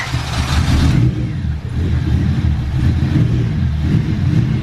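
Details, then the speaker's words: Engine rebuilt with new aftermarket valves in the cylinder head cranks steadily with no firing. The timing was fine, but the valves were all adjusted far too tight; they were readjusted before the next start attempt. "What we did was we readjusted the valve. So we did basically a valve job to see if it works. They were all super tight."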